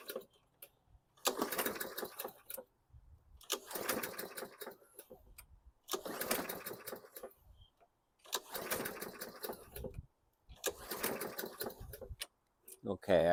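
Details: 2014 Bolens 21-inch mower with a Briggs & Stratton 500E 140cc engine. It is cranked with five recoil pulls after the cylinder was primed directly and the plug refitted. Each pull gives a short whirring crank with no firing at all, so it will not start.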